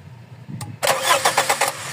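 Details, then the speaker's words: Toyota 4A-FE car that suddenly stalled after a test drive and won't restart; starter spins evenly at about eight beats a second but the engine never fires, with no fuel pressure measured, fuel pump then removed. Crank no start. "Wala Walang walang pressure so Ayan ang aanuhin natin"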